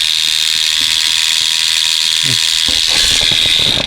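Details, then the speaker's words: Mattel 2009 Trackmaster Thomas toy train motor running on fresh batteries, microphone held close: loud, steady, high-pitched whirring buzz with the gears grinding. "that's really loud engine so if you see it's really noisy"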